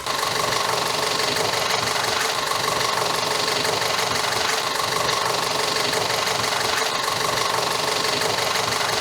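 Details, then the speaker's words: 2014 Audi Q5 2.0 TFSI after rear main seal replacement (crankcase vacuum leak), intake valve carbon cleaning and injector cleaning, which fixed P0506 and P0300–P0304 misfires: a steady, even idle with fast injector ticking and no stumbles. "Now our Q5 is running like new. Beautiful. After the seal has been replaced, there is no more vacuum leaks and uh also the valves have been cleaned, the injectors have been cleaned. It's all working like it should."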